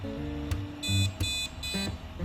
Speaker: Mari kita matikan bunyi bip tiga kali terlebih dahulu. Ini sering terjadi karena RAM tidak terdeteksi, Guys.